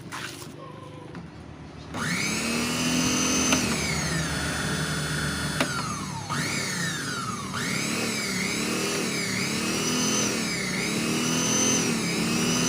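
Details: Wongdec turbo-power blender, reassembled after repair of a stiff blade shaft: motor spins up to a steady high whine that rises and dips with load, smooth, no grinding or rattle; running normally.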